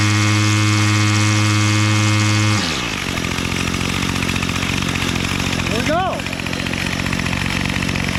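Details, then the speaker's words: Bolens MTD BL-160 25cc two-stroke weed trimmer after carburetor cleaning and resetting low mixture screw to factory, choke off: high steady full-throttle buzz dropping cleanly to a smooth, even idle; runs properly. "choke is off idling full throttle right"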